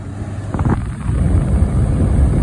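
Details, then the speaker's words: 2001 Chevy Silverado HVAC blower on fan speed 5, face vents, after the driver-side mode actuator was replaced: a steady low whoosh of airflow with no squeal or ticking, and air now comes out where selected. "i have air coming all about where it's supposed to be at the right times so um i can go ahead and demonstrate that for you guys right now"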